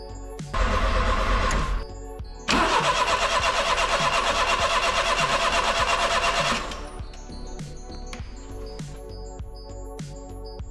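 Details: Turbo Daihatsu Mira, turns by hand with some compression, battery freshly charged, no fuel pump priming heard, fuel gauge reads empty: steady even cranking pulses about three a second, twice, never catches; cranks but won't start, cause unconfirmed.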